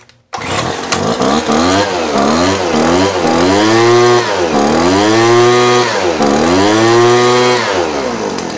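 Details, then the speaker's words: Two-stroke blower carburetor with the low-speed jet screw turned lean: revs surge up and sag back repeatedly, bogging and never climbing cleanly to speed. The low-speed mixture is too lean. "all right you see how kind of now it's bogging down and won't even come up at all"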